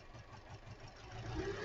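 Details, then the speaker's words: 2013 Hyundai Elantra, flashing check-engine light, idling after new ignition coil on cylinder 2: uneven idle, lumpy stumbling thump; running better but still misfiring; cylinder 4 coil suspected next. "definitely making a difference. Still got a misfire though."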